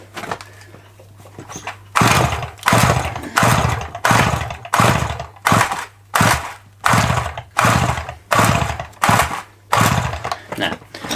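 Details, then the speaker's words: Dolmar 100 chainsaw bought on eBay: repeated pull-cord bursts about every 0.7 seconds with rasping cranking but never a catch; it won't fire because there's no spark, and the spark plug is wet. "right we got a spark problem let's get the old thing out Sparkle later and get it done"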